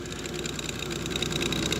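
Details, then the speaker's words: GE refrigerator noisy while running: steady fan whir with rough rattling buzz and wavering high whine from the condenser fan motor, which has a lot of shaft play and wobbles; worn bearing, motor to be replaced. "Got a GE refrigerator, and the complaint is it's making a lot of noise when it's running, and as you can hear, it's the condenser fan motor."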